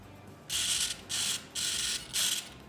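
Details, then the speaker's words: E-flite UMX Pitts S-1S BNF biplane preflight check; four short, high buzzing servo runs in quick succession, smooth and even with no grinding or stutter, servos working normally. "moving the stick on the left left and right controls our rudder and we can see that moving left and right"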